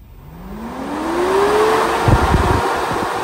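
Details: Replacement SPAL 13-inch brushless sealed radiator fan for a KRX 1000, bench-run on a 12 V supply with duty-cycle control: smooth motor tone climbs steadily as it ramps up, then holds even with no grind or wobble; fan running normally.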